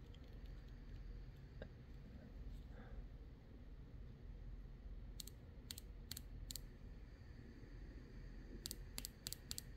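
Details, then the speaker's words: Yamaha WaveRunner fuel injector bench-tested by tapping power leads, held near camera: short runs of subtle, light, crisp clicks in a quiet room; injector opening cleanly and good. "I hope you can pick that up on camera. It's just a little subtle light click. So we know that this injector is good."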